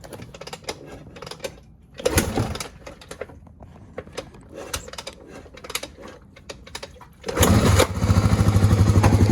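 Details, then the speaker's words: 1986 Honda ATC350X single-cylinder three-wheeler after idle was raised, restarted: clicks, then it fires, blips crisply on a quick rev and settles into a steady even idle; throttle response right on the money. "Give it a little quick rev, reset it. Throttle response is right on the money. It's great."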